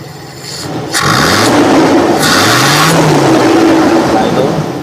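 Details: Toyota Kijang 7K carburetor after cleaning and checking jets (primary jet 110–112) and idle mixture adjustment, secondary vacuum working: engine picks up cleanly to a smooth steady rev, rising and falling pitch, no misses or hesitation; normal engine rev.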